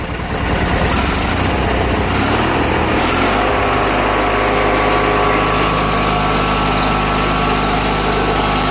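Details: Junkyard Briggs & Stratton opposed twin at high throttle, with a breather issue: revs rise and settle into a steady, even high-speed drone with no misses or knocks; healthy running.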